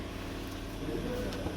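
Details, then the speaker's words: GAZelle Business UMZ-4216 engine, 209,000 km: misfiring, rough running with strong dull knock from valve cover area, valve cover covered in oil; broken valve guide let cylinder 3 exhaust blow out through the valve cover, head to be replaced. "ышки такой сильный стук и клапанная крышка вся в масле на заявке написано что выкидывает масло строите стучит очень такой Интересный экземпляр"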